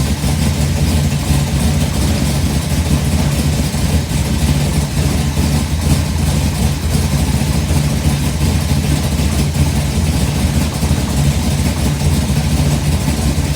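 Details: 1955 Bel Air with newly installed 572 big block (860 hp), hydraulic roller cam, new headers, 40 series Flowmasters, computer still learning, first start: steady even idle, deep exhaust burble; brief early tapping since stopped; sounds healthy.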